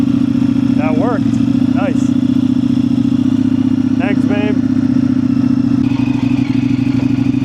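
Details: Indian FTR 1200 motorcycle with dead battery, jump-started with NOCO booster: engine fires and settles into a steady, even thrum, no knocks or misses; normal running.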